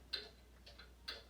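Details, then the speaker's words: Howard Miller grandfather clock during a home repair visit: crisp ticks about every half second, evenly spaced tick and tock; the clock now runs in beat. "That sounds in beat now."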